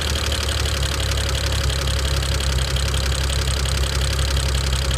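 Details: 2009 BMW 335i N54, warm idle: loud rapid even ticking that grows with revs and persists warm, began after JB4 firmware update; owner says not typical direct-injector noise, cause unknown.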